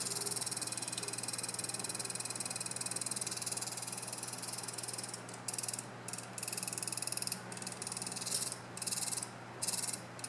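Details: Noctua NF-P14 PC fan, center fan of NH-D14 cooler: steady hum with raspy croak-like ticking about four times a second; fan suddenly started making loud noise, considered broken.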